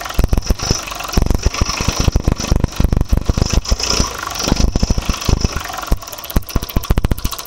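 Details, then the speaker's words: Suzuki Access 125 scooter with exactly 50,000 km idling: loud, rapid, uneven knocking and rattle throughout, from worn crankshaft needing work. "இந்த வண்டியில் கிலோமீட்டரை பார்த்தீங்கன்னா கரெக்டாக 50,000 kilometre ஓடி இருக்குது. ஆனால் பார்த்தீங்கன்னா கிராங்க் ஷாஃப்ட் வேலையாக இருக்குது."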